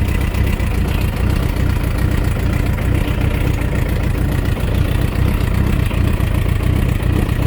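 Motorcycle idling with a steady low rumble and faint rapid ticking underneath; some knock is present, cause not pinned down.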